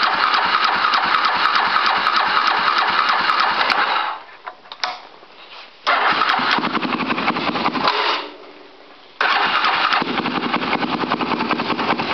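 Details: 2005 Polaris Predator cold start after carb cleaning, oil change and spark plug, carburetor primed with gas; long bursts of rapid, even starter cranking with pauses between tries and no catch: hard cold start.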